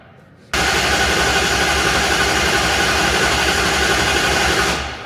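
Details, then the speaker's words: Plymouth Duster drag car after re-plumbing the oil fittings: steady, even starter cranking at about four turns a second with no firing, spinning the engine to build oil pressure, which reached 40 psi. "Well, I want to crank it over until we see oil pressure. Trying to get oil pressure."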